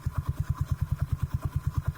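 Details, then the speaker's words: 17-year-old Suzuki Spin125 engine with an RX King carburetor, needle set in the middle position during setting at the workshop: low, slow single-cylinder idle with even puffs, steady and without stumbles. Normal idle. "ini mesin 17 tahun ya benerin suaranya dan ini menurut gua mantap banget"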